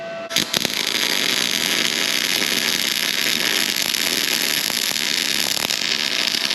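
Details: Arccaptain MIG 250 welding about 3/16 material at 23 volts, up from the chart-recommended 21: steady even crackle and hiss of a short-circuit arc with no popping or spatter bursts; smooth, normal MIG weld.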